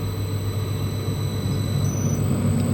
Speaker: That's electrical power being transformed into a mechanical force at over 3,000 RPM.